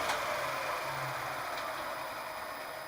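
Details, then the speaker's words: Milling machine run from a DIY static phase converter, a Huanyang 4 kW VFD turning 230 V single phase into 400 V three-phase: steady high motor whine with an even electrical hum, no knocks or rubbing. Normal running. "the fact is it works I can run that mill is running and look at the corn here"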